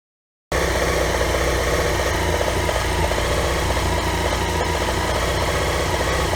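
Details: BMW F800 GS motorcycle at idle, uneven and lumpy with irregular stumbles and rattly knocking beats over the exhaust note. Misfiring from old, worn standard spark plugs, cured by replacing them with NGK Iridium plugs.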